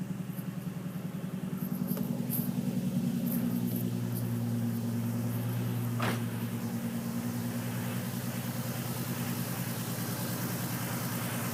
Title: 350z misfire/slight knock